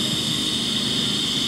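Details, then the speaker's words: Brute air compressor, motor stopped: steady, airy high hiss continues as air leaks from the unloader valve. The check valve was checked and replaced with no change. "Okay, it stopped. I had to run to the back for a minute, but I'm back. And you can clearly hear it's leaking."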